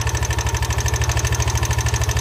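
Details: Yamaha NMAX v1 scooter losing coolant and overheating: heavy rhythmic knock at idle, about nine or ten beats a second; coolant bubbles and oil in it, suspected warped cylinder head, not confirmed.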